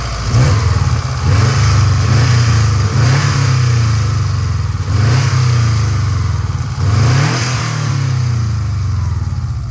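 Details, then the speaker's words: 2004 Subaru Impreza 2.5RS with an SRS stainless exhaust, revved from under the hood; heads and valve seals were done at 158,000 miles. Several quick blips rev up cleanly and settle back with a deep, even exhaust note, no hesitation, misfire or knock. Healthy free revving. "Now, I'm going to rev it up right here while we're under the hood so you can hear it."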